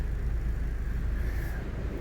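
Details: 2010 Audi A4 2.0T four-cylinder with new water pump, heard at the rear exhaust. Deep steady idle rumble with no ticks, puffs or misses; normal healthy idle.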